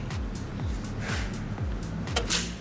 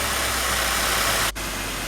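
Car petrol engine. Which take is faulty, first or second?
first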